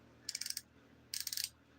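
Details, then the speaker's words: On an old fishing reel, two short bursts of light, quick metallic clicks as the drag clicker ratchets while the drag is set; the owner notes the reel had a reversal problem and isn't working quite right. "Hear that? And you're setting your drag up."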